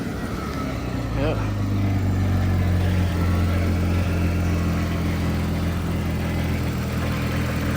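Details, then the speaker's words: Newly acquired MK3 Toyota Supra starting up with the muffler cut off: catches quickly and settles into an even, steady low hum with no misses or knocks; clean, healthy start. "once I find my keys I can start it but yeah she uh sounds good they cut the muffler off"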